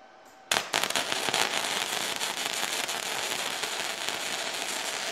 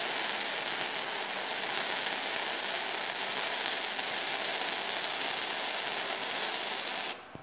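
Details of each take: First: Firepower FP-200 MIG welder, test weld with ground just connected, wire speed set by guess: sharp crackling sputter with irregular pops settling into steadier fry; start ran a little cold, and wire likely feeding too fast (suspected, adjustable run-in needs tuning). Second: Firepower FP-200 flux core welder, second test weld on eighth-inch plate at low end of recommended settings: steady even crackle and hiss for about seven seconds, no pops or sputter; smooth arc, bead slightly hot.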